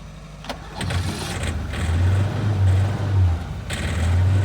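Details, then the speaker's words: 1988 Suzuki Samurai, kept running with starting fluid sprayed in the intake: engine stumbles, its low beat surging and dropping out, barely running rough, with white smoke. "okay got the white smoke help me it ain't happy it is not happy"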